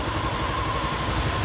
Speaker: Mas tá pegando filezão. Tá aí, ó. Pegando direitinho, certinho?